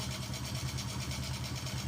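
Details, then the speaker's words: Honda Karisma / Supra X125 motorcycle after valve clearance adjustment: even, settled idle with a quiet steady pulse and no ticking or hunting; normal, stable idle. "Nah dia lebih stabil MUI oke ya beres ya ini sudah normal"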